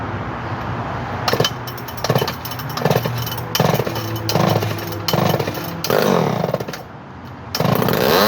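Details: Early 245A chainsaw in mint condition, cold start after about a month unused, little gas in tank, hot day: several pull-start bursts, then it catches and settles into an even buzz; healthy normal cold start.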